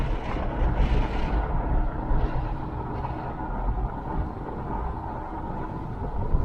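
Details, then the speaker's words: Hummer on a road drive after frame replacement repair: steady low road rumble over bumps with no knocks or clunks, so the chassis and suspension sound solid. "as you can tell there's no no noise no nothing man she's solid"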